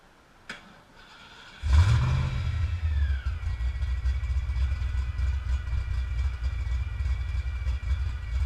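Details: 306 small-block Ford V8 (previously supercharged, parts-built engine) catches and settles into a lumpy idle with a steady hiss and whistle; bad vacuum leak from an improperly tightened intake manifold, fixed by torquing it down.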